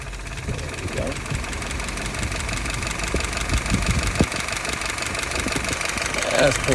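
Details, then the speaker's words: Restored, tested and adjusted YF on an F-head engine, dry with no leaks. Slow, steady idle at about 680 rpm with soft pulses around three per second and no miss; could go up to 700. "Currently idling at about 680. You might want to take it up to 700."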